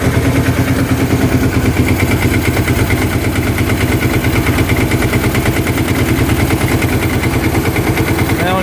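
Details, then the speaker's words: 2005 Kawasaki Prairie 700 V-twin ATV, airbox off: even, loping idle with a steady beat and no stumbles or rattles. Normal idle; old oil is burning off the pipe and the breather shows no oil. "Sounds pretty good. Burning off some old oil on the pipe, it looks like."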